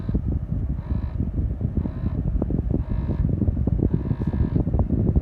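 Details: 2014 Dodge Charger R/T at every start-up: low engine rumble with a whirring rasp that comes and goes about once a second and stops a few seconds later; unusual start-up noise, cause unknown.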